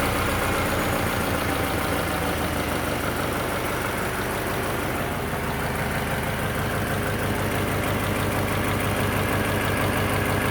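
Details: Subaru BRZ at idle; uneven, slightly irregular thrumming exhaust pulse, roughly three beats a second, over the engine; abnormal exhaust noise, cause unknown.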